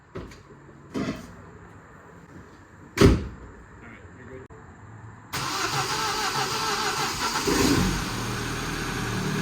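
After a few clunks the engine catches at five seconds and settles straight into a steady, even idle with no knock or miss.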